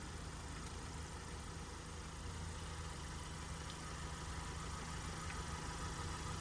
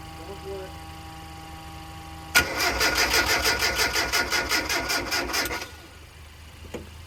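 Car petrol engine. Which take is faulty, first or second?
second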